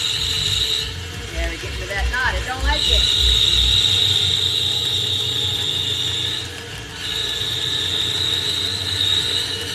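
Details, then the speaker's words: Power cutter shaping a drunken cutting board: a high, steady whine over the motor drops out briefly twice and returns as it labours through a tough spot in the wood. "Tell when it's hit a tough spot, because you hear that little whine."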